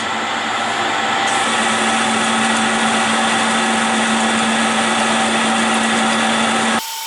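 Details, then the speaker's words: Lathe taking 1 mm cuts on soft steel pins for mini digger buckets; steady whining cut with a faint throb about three a second, motor sounds strained; owner wonders if the electric motor is failing, unconfirmed. "I can hear the motor of the lathe is really working hard. But this steel is not hard."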